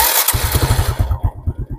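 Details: 125cc motorcycle electric start with battery current measured: brief starter whir, then quick low thumps about ten a second as it fires; clean, normal start, peak draw 45 A, about 1.2–1.3 A with lights before start.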